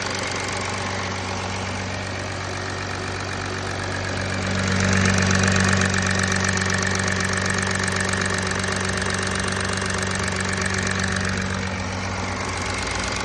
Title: Audi A4 B9 272 ps Kaltstart Motorgeräusche